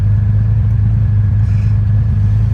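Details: 1989 Honda Goldwing after carburetor synchronizing with vacuum gauges: steady, even low rumble with no misses or uneven pulses, settling smoothly; carbs balanced.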